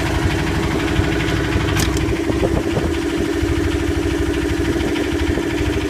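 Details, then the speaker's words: Yanmar SB12 marine diesel after fuel line repair, about 41°F, in gear under load, later ran 45 minutes without problem: steady clatter with even constant hum, no misses or surging; normal healthy running. "Engine ran for about 45 minutes with no problem under gear, under load. All went well."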